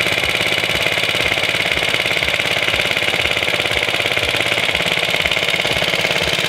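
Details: Suffolk Iron Foundry type 98G14 very small sidevalve four-stroke engine, about Coca-Cola-bottle size, started and running: quick, regular put-put firing at an even pace with no stumbles or skips; normal running.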